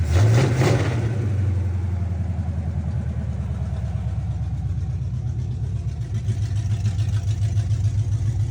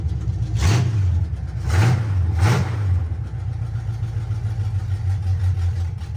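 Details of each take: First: 1976 Chevy C10 small-block 350 V8 after 2-barrel to 4-barrel carburetor and intake swap, timing not yet checked: low, steady lumpy idle with even pulses and no stumbling after earlier stalling; runs healthy before shutting off. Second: 1976 Chevy C10 small-block 350 just swapped from a 2-barrel to a 4-barrel carb, choke cable not yet wired: low, lumpy, uneven idle with quick throttle blips; running rough from too much choke and wants to die.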